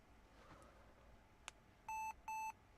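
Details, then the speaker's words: Laptop with a mechanical hard drive beeps twice, two clear mid-pitched quarter-second beeps, after BIOS reports main hard drive not found though it spins up; hard disk drive initialization error, then the laptop restarts. "Hard disk drive initialization error. Well, well, well, that's not great."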